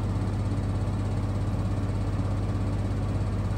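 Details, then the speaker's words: Maytag Bravos washer on a max spin speed cycle: steady low hum with a faint even pulse, no knocking or banging, hardly any vibration; smooth, well-balanced normal spin. "But you can see it sounds great. Nice smooth operation. Just hardly to little to no vibration at all in the machine."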